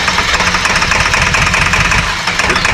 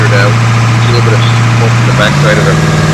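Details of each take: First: 2002 Ford F350 7.3L diesel, 238K miles, first start after injector cup and O-ring job: lumpy, stumbling idle, firing only on driver's side. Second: 2002 Ford F350 7.3L diesel, 238K miles, after injector cup/O-ring repair and new injector harness, passenger-side valve cover off: revs up, drops back, settles to steady even idle, no misfire; running normally.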